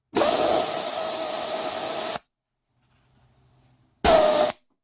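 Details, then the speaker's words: Toyota Land Cruiser A442F automatic transmission solenoid air-pressure test at 10.5 volts, normally open solenoid: strong air hiss for two seconds stops dead, then a short burst again; snaps cleanly, no leaking, works properly. "You can see that one's snapping quite well at 10.5 volts, which is what a battery would be when it's flat. And that one, if you have a listen, is not leaking at all."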